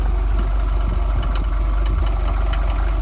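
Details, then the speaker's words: Mercedes T1 van with OM602.940 diesel, just rebuilt with a reworked head, idling in neutral with a hard metallic tapping rattle still present after the rebuild; exhaust quite smoky. "feels good still got the rattle I knew it would would still be there"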